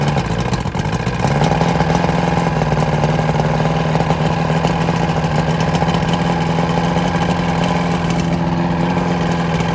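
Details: Vintage Evinrude SPL 88 outboard, dewinterized, cold start after about 23-degree night, primed and key-started: cranks briefly, catches within a second, settles into a smooth steady idle; normal cold start and idle.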